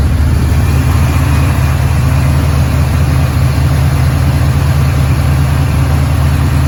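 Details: 1986 Chevrolet C10, cold start after sitting about four months: cranks easily, then a deep, steady, even rumble with no misses, knocks or hunting; smooth, healthy idle.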